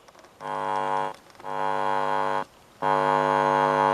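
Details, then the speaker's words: Roberts Classic Blutune DAB/FM Bluetooth radio reported as no sound: touching a finger on the audio amplifier input gives loud buzzing hum bursts that stop between touches, so the amplifier works; the fault is elsewhere, buttons unresponsive. "you can see that the audio amplifier is working. So it's not that it's got no sound at all."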